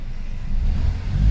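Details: Mercedes-Benz C180 petrol engine that sat unused for about 4 years, running again after repair of misfires on cylinders 1, 3 and 4 caused by injector faults: a deep, even rumble swelling with revs, no missing beats.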